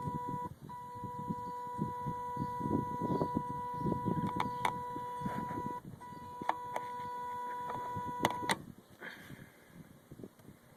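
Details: 2005 Kawasaki Brute Force 750 quad, key off: steady high electronic chirp continues on its own, seemingly from the brake actuator/belt area; cleaning and re-greasing actuator gears didn't fix it; 30 amp fuse pulled to avoid battery drain; owner fears control actuator failure.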